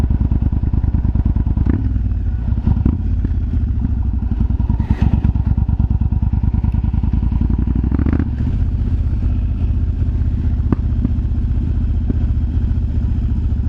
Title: Yamaha BT1100 BULLDOG exhaust popping sound